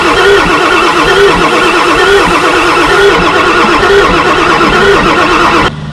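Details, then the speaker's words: Ford F350 7.3 Powerstroke diesel, year unknown, sat 15 years in a junkyard: steady starter churning with even compression pulses about once a second on jump-pack voltage and brake-clean spray, never firing; crank no start. "It should be firing, especially with this brake spray."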